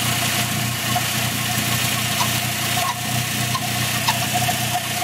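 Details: Irregular high chirps a few per second over a steady idle, only after 10+ minutes of driving, now constant and getting louder; owner suspected the throwout bearing since it once stopped with the clutch pressed; unconfirmed.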